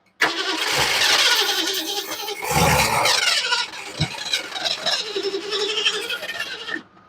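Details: 1975 Ford Mustang II, 302 V8 with 2-barrel carburetor, automatic, long sitting and weak, nearly dead battery; starter churns about six seconds with a loose, uneven rhythm, throttle open, but the engine never catches; cranks, no start.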